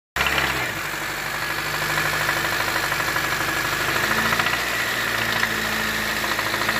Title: Sonido de golpeteo de Bielas🧑‍🔧